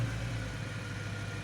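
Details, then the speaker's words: Stock 2008 BMW E92 M3 with the S65 V8 during cold-start warm-up. The high idle lifts, then drops quiet into a steady, even hum with a faint whine and no knocks; this is the ideal time to drive off. "so you know it's quiet see how the noise goes and the noise drops down this would be the ideal time to drive it off"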